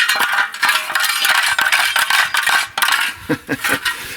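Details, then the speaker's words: Big Bear 400 quad, original muffler: irregular metallic clinking and rattling bursts like rocks shaken in a can; broken baffle loose, rolling inside the muffler. "I think the baffle must have broke more than what is it? Yeah, it it was in there just rolling on the bottom."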